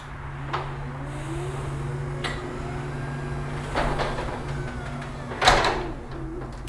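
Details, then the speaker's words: Chamberlain RJ0101MC wall-mount garage door opener, tested with a 2x4 in the door path after setting profile and travel limits: motor hum, clunk at the block, then the door reverses and the unit beeps; normal obstruction reversal. "reverse perfect and you may be able to hear the unit is beeping it means it sense something was blocking its path"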